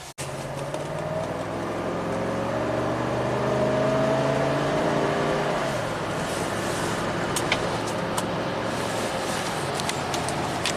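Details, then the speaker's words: 1993 Cadillac Allante V8 on test drive after ignition diagnosis: pulls smoothly as tone climbs under acceleration, then steady cruise over road noise, no knocks or misfires. "yeah I'm not going to lie that V8 does sound pretty sweet"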